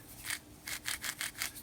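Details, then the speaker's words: Banggood SFU1605 500mm ballscrew nut, new, hand-turned and held to the microphone: soft, even rasping swishes as the recirculating balls bed into fresh grease, no catch or grit; seals resist free spin, no free play, nut healthy. "You can certainly hear the balls moving. It sounds like they're just starting to get bedded into the grease,"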